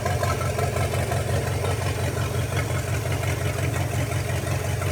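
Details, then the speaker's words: Non-running 1956 small-block 265 V8, idling off the carburetor with a working fuel pump: steady, even low rumble with a smooth regular beat and no knocks or misses, a normal healthy idle. "I would say that sounds pretty good run out that is awesome anyway I just had to try that fiddle with the carburetor I can't believe it idles with that carburetor"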